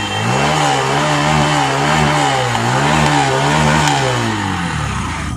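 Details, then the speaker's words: Hero Passion Pro BS6 single-cylinder bike after fuel pump replacement fixed starting and slow-speed idle complaints, MIL lamp off: revs rise and fall cleanly with the throttle, no misfire or stumble; normal throttle response. "வண்டி வந்து திராடல் ரெஸ்பான்ஸ்ும் பக்காவா இருக்குது. அதே மாதிரி நமக்கு வந்து slow ஸ்பீடும் வந்து பக்காவா நிக்குது."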